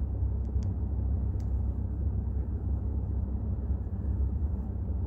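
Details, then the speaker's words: Volkswagen Jetta 6 petrol engine at idle with about 200,000 km: an uneven tuk-tuk knocking low rumble from a worn dual-mass flywheel. The knock stops when the clutch pedal is pressed and returns when it is released. "Нажимаете педаль сцепления, и если вы слышите, то сейчас все пропало. Сцепление отпускаете, и обратно появились"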